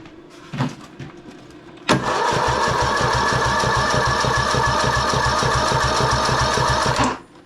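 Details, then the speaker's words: 19.5 hp Briggs engine in a 2007 Husqvarna YTH2042 lawn tractor, cranked at full throttle during compression test (about 60–65 psi, weak spark suspected): steady cranking about four beats a second, never fires. "But here's what I'd like to do right now is check the compression, because I have not been able to get this to run."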